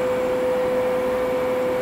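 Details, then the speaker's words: Mill servo motors, unbelted from the leadscrews, holding position after jogging: steady faint mid-pitched hum with light rubbing, slight vibration felt on V, X and Y motors, no knocks or surges; normal holding sound. "when the motor stops moving a little bit of rubbing north from the motors that consider normal this is just the sound of the motors trying the whole position"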